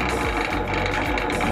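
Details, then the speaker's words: 16 mm drill press: smooth steady motor hum with no knocks or grinding, only light rattle from the body housing; motor itself runs very quietly and healthy. "tes suaranya ternyata ini bodinya yang bikin berisik suaranya itu sangat halus teman-teman benar-benar silent Silent sangat-sangat"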